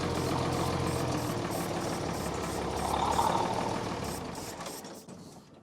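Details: Military truck after draining the fuel tank and bleeding the fuel system: steady starter churning about four beats a second that never catches and fades out. Crank, no start.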